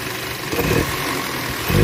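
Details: 2012 Audi A3 after spark plug replacement fixed engine misfire: even steady idle without stumble or shake, only mild swells; running smoothly on all cylinders.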